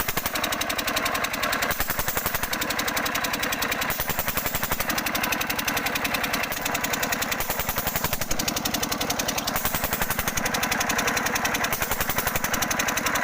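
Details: 5 HP diesel engine (Usha/Kirloskar/Fieldmarshal type) running: a hard, fast, steady knock of about three to four beats a second rides over the engine note; internal knocking, with the injector nozzle adjustment suspected.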